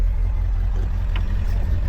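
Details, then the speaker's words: Ford 7.3 Powerstroke diesel truck revved with throttle: lumpy, uneven beat, seemingly not firing on all cylinders, still smoking. Owner suspects a holed exhaust manifold or a bad injector flagged by a scanner a couple of years ago. Misfire suspected. "Old rusty trusty Knocky 73, but when you give it throttle, it sounds like it's not hitting on all cylinders."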